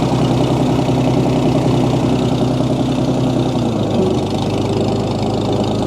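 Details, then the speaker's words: 1937 Oliver Hart Parr 70 tractor idling while the choke is adjusted after a cold-blooded start: steady, deep, smooth beat with no knocks and no excessive transmission or timing-gear noise. PTO turns, but the belt pulley lacks its drive sleeve. Runs healthy. "This thing sure runs smooth though. No knocks. No excessive gear noise in the transmission or in the timing gears up front."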